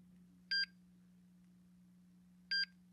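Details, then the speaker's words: MSA Altair 4X multigas detector startup: two short high clean beeps about two seconds apart over faint hum, normal startup prompt after alarm test, time/date and calibration info (cal due in 12 days) before fresh-air zero. "ok it's done testing alarms that goes through the time and date and the calibration information"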